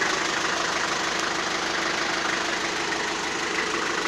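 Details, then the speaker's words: Toyota 4B diesel knock that began after an injection pump repair (plunger pair and nozzle replaced); loose, uneven knock about twice a second that comes and goes with throttle, worst when coasting or blipping, absent under load; cause unclear. "а вот когда в догоночку даешь по накату плюс как сильно уже вот этот диапазон причем надо любых оборотах"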